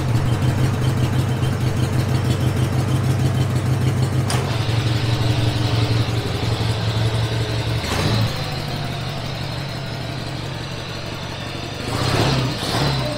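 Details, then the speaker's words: Free forgotten lawn mower revived after unseizing the engine with vinegar, on a test ride: low, even engine drone holding steady with no misses or knocks; runs smoothly, slow but fires right up every time. "it's not the fastest thing ever yeah it seems pretty slow but it does fire right up yeah brought it back to life fires right up every time"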